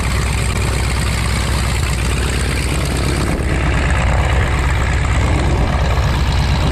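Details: 1933 Great Lakes biplane, 165 hp Warner Super Scarab seven-cylinder radial, first run in 54 years after a 12-year restoration: rough, loping low rumble with a steady uneven beat, settling into a healthy idle.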